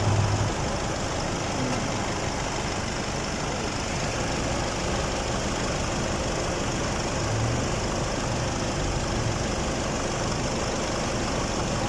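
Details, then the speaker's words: Hyundai D4CB diesel after an overhaul to cure a knocking sound: steady, even diesel clatter at idle with a smooth low rumble and no knock standing out; normal idle. "Ito naman yung pagkatapos ng overhaul guys. Ito po yung kanyang andar."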